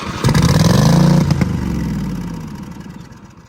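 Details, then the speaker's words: Riding mower engine restarted after tightening a housing bolt, firing without choke: surges with an uneven, lumpy beat then sags and runs down; stumbling, owner suspects it is not getting fuel pressure. "Sounds like it's not getting fuel pressure."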